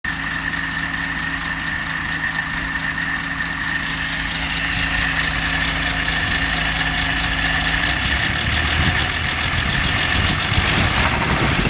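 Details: 1954 Nash engine idling: rough, irregular knocking running through it at about four knocks a second; source of the knock still undetermined.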